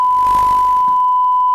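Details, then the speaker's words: Panasonic NV-HD100 VCR from the junk pile, suspected bad video heads, playing a test tape with 1 kHz tone: clean, steady tone without wavering or dropouts, slightly clicky; hi-fi audio playback working normally. "anyway There You Go high-fi audio mostly working seems to be working"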